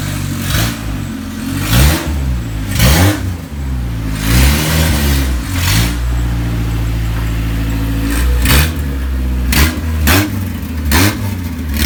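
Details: Isuzu Rodeo 4ZE1 after a top-end rebuild and full reassembly: repeated throttle blips rise cleanly and drop back to a steady, even idle, running on all four cylinders. Compression still to be checked; slight issue owner suspects is timing. Normal running.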